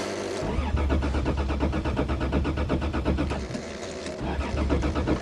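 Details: Toyota cold start in snowy December; starter cranks steadily about three turns a second for several seconds but never catches; ice in fuel lines from water suspected, earlier battery connection issue.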